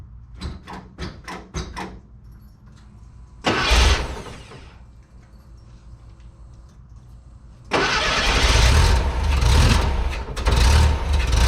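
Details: Bus with rebuilt air-cooled 1.7, after replacing starter that dragged on flywheel: a few clicks, short crank, catches and settles to steady even rumble, no starter drag.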